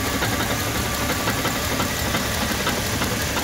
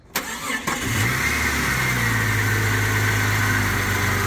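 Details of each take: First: this stuff when it's worn down can uh cause some little rattling in your engine and if it's bad enough it could cause that knocking sound like the rod knock that we heard in Tommy's Jeep when we swap that motor Second: Jeep XJ (Cherokee) after replacing cracked oil pan and gasket, rear main seal, oil pump upgrade, new pickup and connecting rod bearings: brief crank, catches at once, smooth even hot idle, no knock or tick, good oil pressure; normal start and idle.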